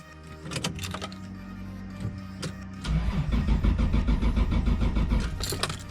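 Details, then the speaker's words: Toyota Supra JZA80 RZ with 2JZ-GTE, won't start: starter spins engine steadily for a few seconds but never fires; crank no start, owner suspects running rich with fouled spark plugs. "so the next step is to find out why the car isn't running I do believe the cars running quite rich"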